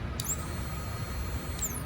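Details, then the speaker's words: New replacement fuel pump for a 1994 Jeep YJ bench-tested before installation; an even, steady high whine over a low hum with no stumbles or surging, and it runs normally. "makes all the right noises"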